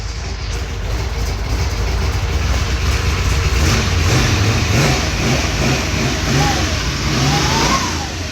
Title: Exhaust leak popped up